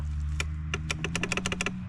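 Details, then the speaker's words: Honda 4x4 Rancher (1,439 miles) that sat six years in North Dakota: its battery holds charge but can't turn the engine over, and on a jump box the starter gives rapid dry clicks, about eight a second in bursts, with no cranking, from low voltage. "it holds juice but not enough to turn it over so again I'm going to go grab a jump box and we'll see if this thing will try to start"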